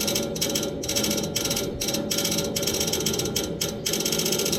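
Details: Neighbor's AC outdoor unit idle, no fan running, fan motor replaced yesterday: fast uneven ratchet-like clicking, two or three bursts per second, from inside the unit, as if trying to crank something; stops when the fan comes on; source unknown.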